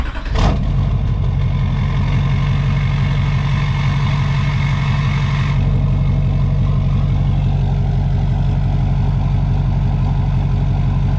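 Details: 2006 GMC Sierra LBZ Duramax diesel idling just after installing and purging an Airdog II 5G 165 gph lift pump; deep, steady idle with even clatter after a brief start-up burst, no stumbling or surging, fuel supply healthy.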